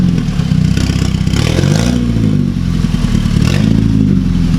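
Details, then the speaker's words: 2009 VW MKV GTI 2.0T TSI, fully straight-piped with a 3" Billy Boat downpipe and no muffler or resonator, with known unfixed misfires. Loud, raw exhaust drone at idle with a couple of blips and a light metallic clatter riding on it. Rattle at idle; source not found. "Yo, it sounds like something's rattling, though. Probably. Something's rattling there, dude."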